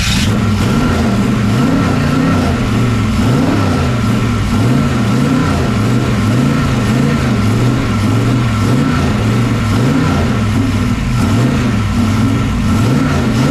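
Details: Pro street 1969 Chevrolet Camaro with a 540ci big-block V8, first run after salt-air corrosion: loping, uneven exhaust beat surging and sagging in a slow wave; missing on some cylinders, with poor ignition timing and worn ring seal suspected.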